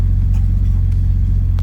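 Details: Datsun 280ZX Turbo (L28ET), AAC valve blocked off and idle set manually at the throttle stop; warm engine at about 900 rpm, slightly high versus the 850 target; deep, smooth, even firing without surging; normal warm idle.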